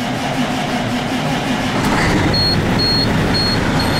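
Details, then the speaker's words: Truck diesel after water pump replacement and new heater hose, first cold start: even clatter settling to steady cold idle, dash chime pulsing; stop engine light went out, oil pressure about 45, normal idle. "I got a stop engine light which went out my engine oil pressure is rolling at about 45 should go up a little higher as cold as it is it's just cold so it's just at an idle"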